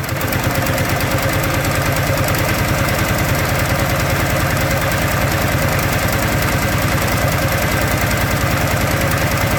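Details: 2013 Teryx FI 4x4 LE at idle: a dull, somewhat uneven knock about three times per second under the exhaust. Engine or clutch is suspected, source unclear.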